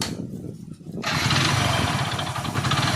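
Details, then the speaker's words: Hero Splendor Plus motorcycle, 32,314 km, engine sound checked with a listening tool: starts and settles into busy idle with light clattery patter; mechanic attributes the noise to worn piston rings. "इसके अंदर जो ring piston लगा है ring piston का shoulder current account है इसमें सबसे ज्यादा सोढा इंजन के अंदर"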